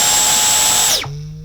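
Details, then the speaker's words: Dyson V10 Animal Extra cordless vacuum cleaner switched off after running: high motor whine drops sharply, then a short low ringing 'boing' fades out; customers often ask, but this shutdown sound is normal. "We've had quite a few customers where they've asked us, is that normal? And yes, it is normal. I'm not really sure what it does or why it does it, but it does it, and apparently that's normal, so that's okay."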